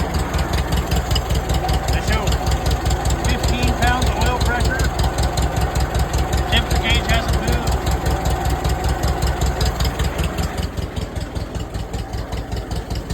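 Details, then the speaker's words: 1947 Case VAH loader tractor bought for $300. Even, steady idle pulsing about two and a half beats a second with no knocking or misses; it runs fine. "Well, there you go, YouTube. $300 tractor and it runs."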